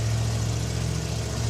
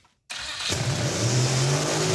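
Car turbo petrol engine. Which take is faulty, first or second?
second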